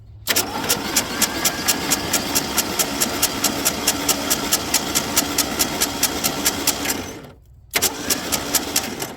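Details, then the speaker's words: 1979 Mustang that sat 32 years since 1991, five cylinders sprayed with WD-40: even cranking at about two to three beats a second with a brief pause. The starter spins cleanly with no grinding. A noise comes from the rear, and the owner suspects junk in the cylinders. "Maybe it's the starter itself, but the starter sounds so clean."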